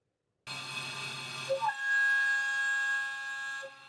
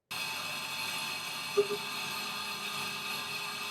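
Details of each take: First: Milling cut before optimization/tap test: harsh ringing multi-tone scream as varying cutting force from teeth entering and exiting the cut vibrates the tool; milling chatter. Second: Milling cut after tap testing, spindle speed changed to a more stable speed: steady, even high-pitched hiss with no rising chatter tone, a much more stable and quiet cut.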